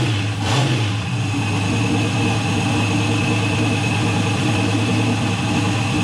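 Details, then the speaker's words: Turbo LS-swapped Mustang, about 1000 hp, just after its first start with oil pressure confirmed: steady engine run with a faint light ticking over the exhaust note; slight valve train noise, not alarming. "huge plus. Sounded pretty good. Heard a little bit of valve train noise, not surprised."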